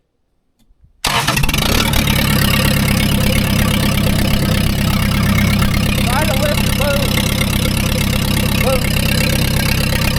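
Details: Scrapyard skid steer diesel with fresh oil, a new filter and a loose connection fixed, started after about 5–7 seconds of glow plugs. It catches at once and settles into a loud, steady diesel clatter of about three pulses per second: normal start.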